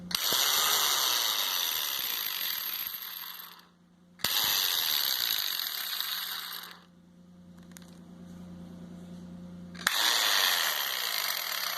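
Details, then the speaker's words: Bosch GDC 14-40 handheld marble saw with a broken motor bearing, run when the start switch is pressed: short revving bursts with a harsh, ratchet-like rattle; the armature risks rubbing the stator. "essa serra mármore ela tá com rolamento quebrado barulho estranho aqui quando aciona o interruptor de partida"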